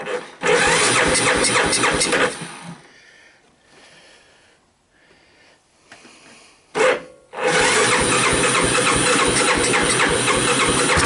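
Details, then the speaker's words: 1985 Honda TRX250 on a cold start, carb not rebuilt and choke disconnected, fuel poured into the bowl and intake: single cylinder fires, dies back, then restarts and holds an even beat with no bad sounds. "anyway so yeah it did start up and when it started this light went green here which tells me some of the electrical system is alive"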